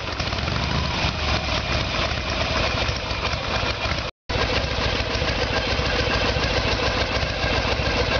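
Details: 1994 Harley Sportster Evolution with a 1996 engine, carburetor found to be the problem; idle while ignition timing is checked with the two dots centred in the timing window. Even, loping V-twin idle with a steady beat and no misses or knocks; idling cleanly.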